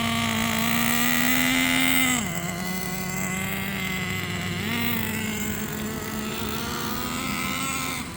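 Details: New engine in Jato 3.3 RC truck, first run break-in after tuning: steady high buzz with clean overtones dipping briefly then picking up; smooth normal break-in running.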